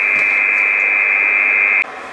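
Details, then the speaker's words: 12 V 30 A switch-mode supply in a metal case with meters, heard on an IC706 HF receiver around 2.9 MHz with a short wire. Steady high whine with hiss that drops away abruptly: interference radiating from the display module, peaking near the display. "so this one here on 2.9 is coming from the display he peeks up around this part of the case [Applause] it's near the display"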